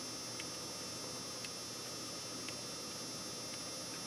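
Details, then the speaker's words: Sony HVR-M10U HDV recorder tape mechanism running: faint light ticks about once a second over steady hiss, with a guide sometimes shaking depending on gear alignment, from a damaged gear; worse when fast forwarding, grinding. "You can hear the slight ticking noise, and most notably this little gear, I'm sorry, not gear, this guide sometimes shakes. That depends on how well the gears align."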